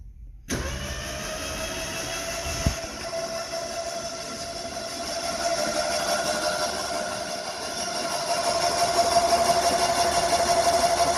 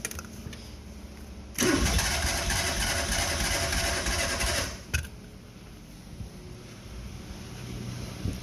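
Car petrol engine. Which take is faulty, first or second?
second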